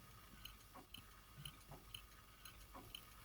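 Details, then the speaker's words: Very faint light ticks about once a second over a quiet hum from a 1954 Smiths Sectric Grand Tompion Westminster chime clock, synchronous 200–250V AC mains movement after cleaning and relubrication; the anti-reverse wire stopping the motor starting backwards, running normally. "hear a very tiny ticking noise, and what that is there's a piece of wire that stops the motor starting in the wrong direction."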